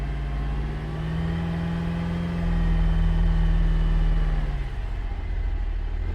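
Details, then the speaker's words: 2017 Buick Enclave after water entered fuel tank during boat launch, just restarted: engine revs roughly with uneven stumbling beat then drops back, flashing check engine light; misfire expected until water purges from fuel rail. "starting to miss flashing check engine light indicates a misfire but that's to be expected until it's fuel rail purges"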